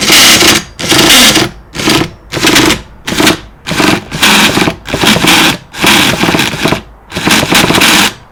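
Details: Hyper 7 RC car, about four months old, stripped and cleaned by a new owner: about eight short bursts of starter whirring with no firing; it cranks but won't start. The owner suspects the clutch.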